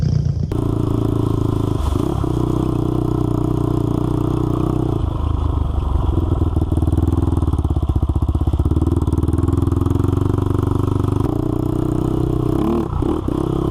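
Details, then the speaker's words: Honda 400EX single-cylinder ATV after crankshaft replacement for a locked-up engine, test ride through the gears under load; loud note with sharp, raspy chuff from a broken exhaust header leaking pretty badly; new header needed. "but like I said we do have to address this header issue at some point cuz it is leaking pretty bad"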